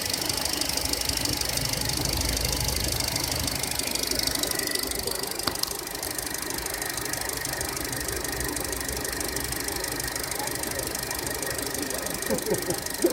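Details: 2014 SsangYong Korando, G20D petrol engine, 33,000 km, timing chain replaced under warranty two years ago: fast light ticking over steady idle with some high squealing; oil change didn't help, owner suspects hydraulic lifters; engine ticking.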